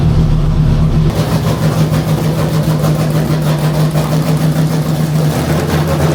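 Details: Chrysler 440 Six Pack V8 with triple two-barrel carbs, during warm-up test: uneven loping idle and lumpy low exhaust beat, dead cylinders, running rich; a damaged carb gasket was later found.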